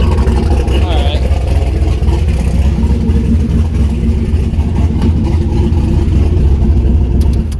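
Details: Turbo LS V8 Miata after exhaust heat wrapping and V-band joint realignment, not run too hot: deep, even, steady rumble with a smooth unbroken exhaust note and no leak ticking; running normally.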